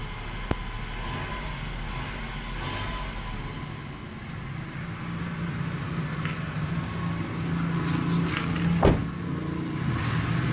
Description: In this video you can hear a potential from problem for this car, you can hear a very low pitch Whistling Noise from Car.